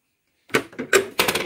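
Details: Brother DCP-1510 laser printer feeding and printing: short run of uneven mechanical clunks and clatter; clunking noise, cause suspected, not confirmed.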